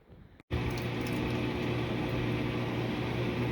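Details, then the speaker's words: Kenmore Elite washer, model 110.28062800, after replacing the main control board because it would not turn on. Last minutes of the spin cycle: steady, even low hum with no knocking or grinding; working normally. "so here it is in the last couple minutes of a spin cycle working really well"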